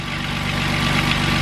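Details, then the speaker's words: 2008 Jeep Wrangler Unlimited 3.8L after alternator replacement (previous electrical whine, faint burning smell; tensioner pulley swap didn't fix it): smooth regular idle pulse, no whine; engine and charging system healthy. "should be good to go moment of truth whoo [Applause] so there's so there's no sound coming from it that's off you alternator sinkhole Titan job"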